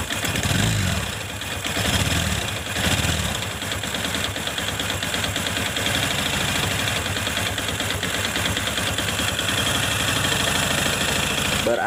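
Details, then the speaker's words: Honda Supra X Helm In motorcycle, exhaust refitted, clutch removed; idles and blips with harsh rattling knock that persists without clutch, traced to worn connecting rod, not the clutch. "komponen partnya yaitu Setang Seher berarti ini motor berisik yaitu dari bagian setang sehernya berarti ini setang sehernya teman-teman ya yang kena Jadi bukan dari bagian kopling"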